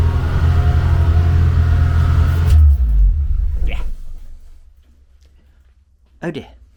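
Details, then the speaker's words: Engine started for the first time in nearly 2 years after manifold machining and heater hose repair: deep, fast, even rumble at about 2500 rpm, well above normal idle, then the note dies away; idle too high, may need tweaking. "So, idle's about 2 and a half grand at the minute. That may need a bit of tweaking, but um"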